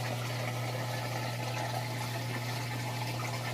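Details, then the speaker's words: LG high-efficiency top-load washer in first rinse cycle, spinning while draining: steady low pump hum with rushing, sloshing water, no rattles or grinding; normal drain pump. "all right this guy just switched over to its first rinse cycle and it's spinning as its draining out the water and that sounds like it's doing a real good job the drain works perfectly"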